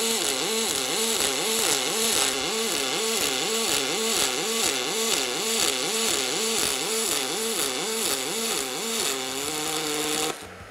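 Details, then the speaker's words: MIG welding aluminium with superpulse on, two energy levels: steady hissing arc whose humming tone swings between two levels about twice a second, the characteristic normal superpulse sound. "Ich habe „Superpuls“ aktiviert, mit zwei Energieniveaus und der Sound ist auch hier charakteristisch."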